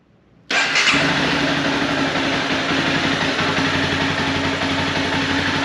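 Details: 2011 Honda CBR250R, 7,500 miles, long-stored, with new battery, new fuel pump and cleaned tank and fuel system: catches on first try and settles into a steady, even idle with no misses, knocks or hunting; normal start and idle.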